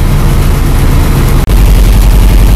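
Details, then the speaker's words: Carbureted car engine started on starting fluid, then warmed up: a deep, lumpy idle with a brief dropout instead of an even idle. The carburetor is gummed up and starving the mixture, as expected, and the owner anticipated a surging idle. "well here's the problem just like I expected carburetor got GED up let up the gas here's the idle what even idle"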